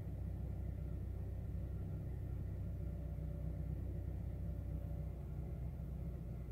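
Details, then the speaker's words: 2008 Honda Fit idling: low uneven stumbling beat with occasional dropped pulses; random misfire, cause not yet pinned down. "still misfiring sounds like"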